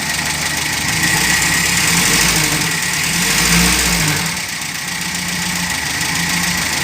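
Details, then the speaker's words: 1980 Mitsubishi Colt T120 after a worn connecting-rod-bearing knock was fixed without engine teardown, using cigarette paper and oil treatment. An even, steady idle with a smooth low hum; the knocking is gone, with no bearing noise at high revs either. "Nah, ini suara mesinnya. Suara mesinnya jadi gak ada gelotok-gelotok lagi, alias enak. Di putaran atas gak ada suara metal, dijamin."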